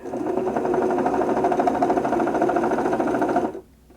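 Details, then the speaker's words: 1974 Singer Genie 354 sewing machine after servicing: the bobbin winder whirs with a loud, rough chatter because its old rubber drive tyre is worn and should have been replaced. "yeah the bobbin winder rubber you can hear it's quite noisy"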